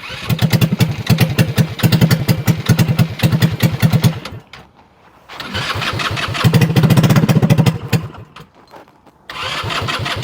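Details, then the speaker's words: 2021 Kandi Batman go-kart buggy, started without spray: small engine putters unevenly, dies twice and restarts, and stalls whenever throttle is touched; electric choke suspected. "I don't know if I can touch the gas or not. Oh, no. No. Barely touch the gas. It's done. What the heck?"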